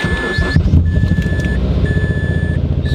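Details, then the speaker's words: Mazda 3 rough, lumpy misfiring idle after cold start, stumbling beat under a warning chime; cylinder 2 not firing because its ignition coil pack completely fried out; extending the coil didn't help. "oh coil pack that coil pack is not firing that's diamond i've already figured out what the issue is so that coil pack number two just completely fried out"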